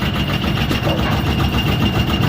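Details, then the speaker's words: Bowling pinsetter belt drive running smoothly after one full turn of added tension on the adjustable-length belt tensioner spring, which had been slipping on the sheave; steady low churning rumble with no squeal, the belt no longer slipping. "yeah that that's better that's better she she shouldn't slip anymore yeah she's good"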